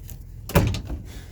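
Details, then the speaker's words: Newly installed Onan 5.5K propane generator in a 2000 Newmar Kountry Aire 5th wheel, first run: a single solid clunk then quiet as the transfer switch engages and the generator takes the load. "Turn the battery on. Oh, the battery is on. I just heard the transfer switch engage."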